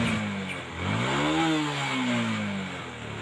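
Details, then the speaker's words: Honda Supra 125X carburetted, running on cooking oil as engine oil: the pitch climbs and falls through a rev and turns buzzy and rattly at high rpm; this vibration is called typical of the model. Idle set slightly low. "mohon maaf banyak suaranya kalau RPM tinggi bergetar semua mbak ya itu ciri khas dari suka 125 Mbah"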